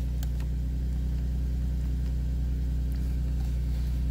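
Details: 2011 Nissan 370Z after fuel pump assembly fuel level sender fix: steady low even idle hum with no knocks, misses or whine; engine sounds healthy.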